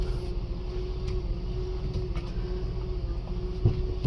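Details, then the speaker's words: 2008 Mercedes GL450 after power steering pump replacement, wheel being turned: even low engine hum, no pump whine or groan; steering much easier, normal operation. "It's so much more easier to turn the steering wheel"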